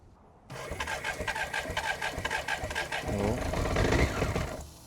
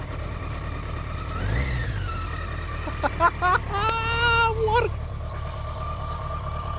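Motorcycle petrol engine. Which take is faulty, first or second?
first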